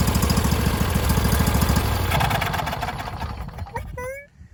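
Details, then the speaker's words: Husqvarna YTH21K46 riding mower fitted with a Briggs V-twin, choke on: a rough, uneven chug about three thumps a second, then it stumbles and dies. The carburetor floods, and a new fuel pump didn't help. "As you can see, it was flooding out already. I had to regulate the fuel flow using the valve, and I already put a brand new fuel pump in it, which didn't help at all."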